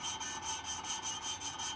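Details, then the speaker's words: Hand-lapping a valve with grinding paste on a vintage tractor cylinder head: gritty back-and-forth rasp about five strokes a second, still coarse and loud, so the valve is not yet seated; it goes dead quiet when seated. "that's the place working when it goes really quiet you know that is probably pretty good dead quiet so it must be pretty well seated"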